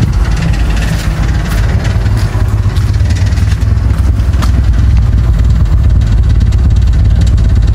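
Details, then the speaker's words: Toyota Corolla AE92 (1K) with no proper idle, misfiring for about two weeks since the owner adjusted the aircon idle setting. The idle is lumpy and uneven with irregular stumbles and dips. Rough idle with misfire; the cause is not confirmed. "Ayan siya guys, no, bali wala siyang matinong idle. As in nagmi-misfire, tara doon tayo sa labas."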